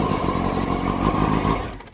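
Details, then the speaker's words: 1985 Pongrass Wave Rider boat after restoration, freshly serviced petrol inboard that starts easily; steady, even low burble with a clean firing rhythm, fading at the end; normal running. "when you start this motor starts up quite easy"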